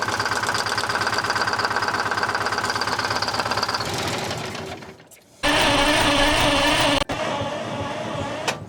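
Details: 1970 Peterbilt 341 with Detroit 6V71 two-stroke diesel, unused since 2018, described as blown up; rough knocking pulse about three a second over diesel clatter, then shutdown and restart; injector swap planned, cause suspected, not confirmed.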